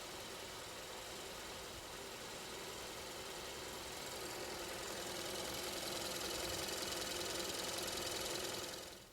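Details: 2015 Kia K3 1.6 GDI, 60,000 km, idling with a sharp, steady tapping knock; detonation from faulty ignition (weak spark on cylinder 2) and heavy combustion-chamber carbon, compression good; fixed by chamber and intake-valve cleaning plus new coils and plugs.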